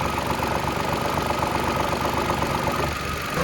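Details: Mitsubishi Mirage at idle with the A/C compressor running: loose buzzing rattle over the engine hum that goes quiet when the housing is held. Air filter housing rattle from worn rubber mounting bushings; fixed with rubber O-rings.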